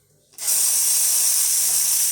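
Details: Lelit Bianca espresso machine after a complete professional tune-up: steam wand opens instantly into a strong, steady high hiss without sputtering; normal steam wand operation, good steam delivery.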